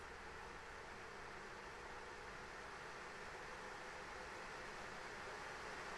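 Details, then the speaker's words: ASUS ROG Strix RTX 3090 graphics card fans stepped from 40% up to 100% in 10% increments during a fan-noise test; steady, even rushing whoosh with no pulsing, rattle or whine, normal fan noise at full speed. "100% and now it's set to the user defined profile yeah but even at this distance uh until 60 I I I really can't hear it so that's that's nice"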